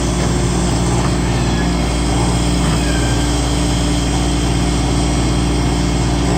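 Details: Newly installed compressor in a reach-in cooler/freezer, after evacuation and refrigerant charging, running about 30 minutes until it reaches temperature: a steady, even low hum with no knocking, rattling or surging, running normally.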